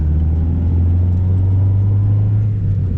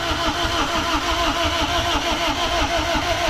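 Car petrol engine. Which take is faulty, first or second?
second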